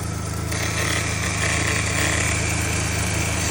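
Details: Fox body Mustang petrol engine idling with steady low thrum after belt tensioner fix for squeaky belt; no squeal from accessory belt.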